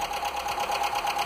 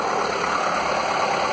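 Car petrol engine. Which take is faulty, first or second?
first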